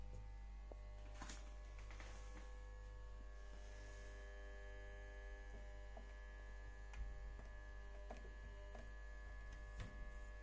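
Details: Stoves electric oven, just after an engineer replaced the element: a constant low mains buzz with a thin steady tone as soon as the fused supply is switched on, even with no cooking setting selected; electrical buzzing when powered.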